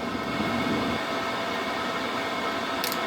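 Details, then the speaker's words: Diesel heater on one battery, turned down via remote to its lowest 1.4 power setting, which the owner thinks cured earlier start errors: even steady whoosh of fan and burner, no surges or knocks; running smoothly, good heat. "basically I had to turn that right down to its lowest setting and I've got some lovely heat coming out of here now guys right so I just simply turned down the power"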